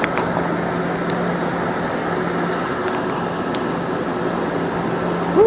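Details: 2006 Nissan Armada 5.6 V8 (body 185,000 miles) freshly swapped and running after crank sensor replacement: a steady, even idle with a smooth low hum and no knocks or misses. Normal, settled idle.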